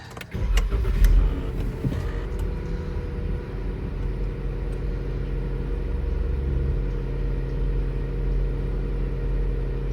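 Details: 2015 Dodge Durango after oil pressure sensor replacement (code P0520), intake manifolds reinstalled and codes cleared. Brief crank catches cleanly, then a steady, even low idle with no knocks or ticks. Normal; the sensor now works.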